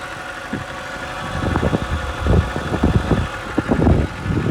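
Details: BMW E90 with N52 inline six at idle: irregular knocks over steady high whine, worse at cold start, whine present even with AC off; owner suspects whine from oil filter area, cause unconfirmed.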